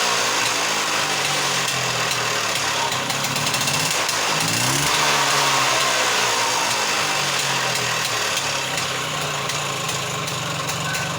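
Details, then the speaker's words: Handmade off-road buggy just after fitting a new handmade exhaust: fast even engine beat with one rev blip, no misses or knocks, quiet; small leak at an exhaust gasket; normal idle. "അപ്പോൾ നമ്മൾ വണ്ടി start ചെയ്ത് കഴിഞ്ഞു. Correct പുകയൊക്കെ വരുന്നുണ്ട്. നമുക്ക് വളരെ സ്മൂത്താണ് കേട്ടോ. Sound എന്ന് പറഞ്ഞു കഴിഞ്ഞാൽ വളരെ കുറവാണ്."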